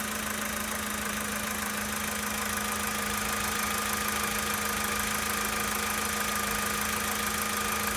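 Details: 2013 Volkswagen Polo Sedan Sochi Edition, 65,000 km, steady cold idle: a fast, fairly even tapping, about three a second, from inside the engine; cause unknown.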